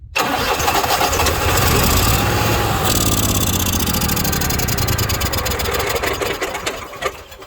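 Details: Onan 5500 motorhome generator at 4,700 ft, after replacing the carburetor, plugs, fuel filter and lines and refilling with 15-40 oil. Starter churns and the engine coughs unevenly, then fades without running. Crank-no-start, cause unknown.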